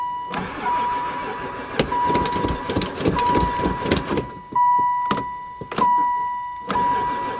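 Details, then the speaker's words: Van left sitting for years: starter churns in repeated bursts with short pauses, engine never catches; cranks but won't start, fuel possibly missing, spark in doubt. "oh she even cranks I don't know if this thing's got gas"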